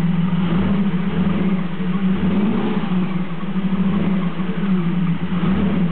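Uneven idle with a low rhythmic stumble about every second, the engine loping rather than running smooth, points to a misfire.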